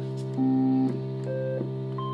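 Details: Vox Continental organ after tone generator card bias pot adjustment: clean steady sustained notes, each key sounding fully without dropouts or crackle; tone card working normally.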